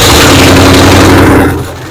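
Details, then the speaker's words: 1967 Ford Mustang 289 V8, parked 22 years, being revived on very limited hand-fed fuel: loud ragged revving with sharp pops, uneven beat sagging away; number six hot but one dead cylinder not keeping up; misfire, cause unconfirmed. "one's hot number six is really hot but our dead cylinder back there it's not it's having a little hard time keeping up"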